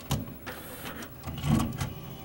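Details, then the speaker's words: CLD-M301 laserdisc player with built-in 5-disc changer trying to switch to side B: mechanism clicks, then the disc motor spins up abnormally slowly in reverse and stops, laser returning; long-standing fault, cause unknown. "[disc is spinning up but abnormally slowly] [abrupt stop, and laser returns to original position] Now what just happened was it tried to switch to side B and failed. This machine has some bizarre issue where the motor will not spin up fast enough in reverse."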